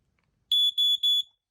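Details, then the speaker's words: Battery-operated Fire X smoke alarm, new in box, test button pressed: three loud high-pitched beeps of about a fifth of a second each, evenly spaced and clean; normal test pattern. "okay you can hear what it sounds like let me hit the test button you really get a good feel of what's it"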